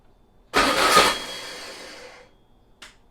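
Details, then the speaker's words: VW Beetle engine sitting two years, on a start stand with a new control box, about 70°F: brief crank, catches and bursts for under two seconds, then fades; not enough fuel squirted in. "All right. We didn't have enough gas in it, guys. Let's add some more."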